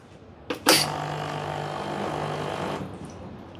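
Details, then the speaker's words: Gemilai 3006Z espresso machine vibratory pump with pre-infusion: hiss then steady, even low buzz for about two seconds before cutting off; healthy pump operation. "Oh, it has pre-infusion as well. I think the custom pre-infusion set is 3 seconds. As you engage the palm, um, the short timer kicks [Applause] in."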